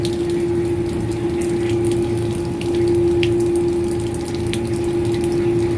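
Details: Booster pump during commissioning, pressure set to start at 2 and 2.5: steady even motor hum at one pitch over rushing water, no knocking or surging; normal running with water flow.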